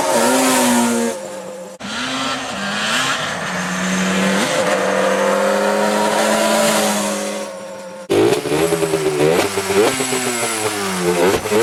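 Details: Yamaha Banshee twin two-stroke after cleaning a plugged carburetor that made it run, die and leak fuel: crisp buzz revving up and dropping back cleanly through throttle blips; runs healthy.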